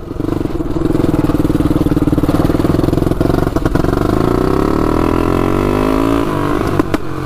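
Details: 1999 Honda 400EX turbocharged quad on first test ride with oil and fuel pumps: single pulls up steadily over a few seconds, then abruptly loses drive and stumbles as boost comes in; owner suspects flooding.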